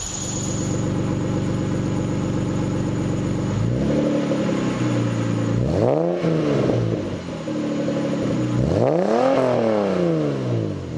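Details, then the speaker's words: Lexus SC300 after fitting a Toyota Supra TT mid pipe with new gaskets to cure a leaking exhaust: smooth steady idle then two clean rev blips, deeper and a bit louder, no rattles; sounds louder and cleaner, healthy exhaust note. "it's actually a noticeable difference it sounds a little louder and a lot cleaner"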